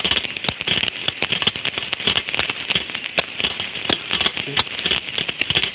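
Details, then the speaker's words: Ultrasound probe recording of a rolling bearing in irreversible failure: loud harsh crackling with sharp irregular pops throughout the signal; bearing failure. "Desculpa pessoal o barulho bem forte mas isso realmente é o que a gente ouve ultrassom"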